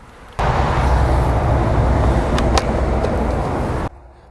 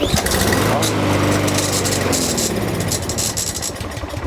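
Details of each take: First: Lawnmower that previously ran only on starting fluid and then died, after a carburetor cleaning and lubing the recoil starter pawls: it fires straight up and holds a steady, even buzz for about three seconds before cutting off cleanly, sounding healthy. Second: Lawnmower that only runs on quick-start spray in the carburetor; catches and runs briefly on a rising note, then fades and dies within seconds; carburetor issue.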